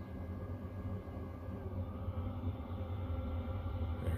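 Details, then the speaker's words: Chinese diesel air heater warming a tent trailer from about 1.3 °C on a cold day, glow plugs on: steady low rumble from burner and fan, building slightly as combustion picks up. Normal running, warming up. "glue plugs are going you can hear the fan you can see here right now it's kind of started starting to warm up"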